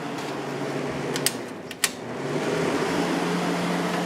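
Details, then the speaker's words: 10,000 BTU Fetters window AC in a living room, started on low fan before low cool; switch clicks then smooth steady fan whoosh with low even hum, no rattles or scraping; normal fan operation (its evaporator coil later froze solid). "I wanted to do this one next, so let's start it up. There's low fan."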